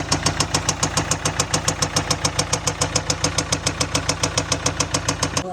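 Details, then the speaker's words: Range Rover Velar 2.0 diesel, oil and coolant checked and full: at idle, a loud sharp metallic knock about 3.5 times a second, very even, over the diesel running. Internal engine knocking. "हाँ, लेकिन इसका engine आवाज़ कर रहा है, बहुत ज़्यादा आवाज़ कर रहा है, ठीक है।"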